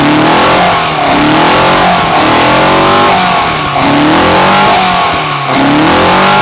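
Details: BMW 318i M10 engine on first startup after fitting sidedraft individual throttle bodies: repeated crisp blips sweep up and drop back about every second and a half with a sharp intake bark, so it revs normally and cleanly.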